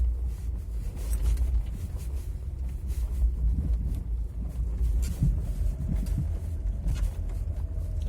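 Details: Renault Laguna 2 driving over bumps, potholes and a speed bump: dull, heavy front thuds every couple of seconds over road rumble; stabilizer and ball joint already replaced; owner suspected the strut mount; a faulty shock absorber proved to be the cause.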